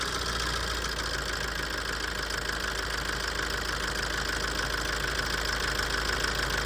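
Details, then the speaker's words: Tata 2.2 common-rail 140 hp diesel dump truck, previously not starting after long parking, now idles evenly with mild clatter after injector cleaning, cylinder 2 injector replacement, injector coding and ECU registration; the loud rattle is gone. "อ่าเดินนิ่งแล้วเสียงดังกาวาวหายไปแล้วนะฮอันนี้ค่าการฉีดน้ำมันเรียบร้อยแล้วนะ"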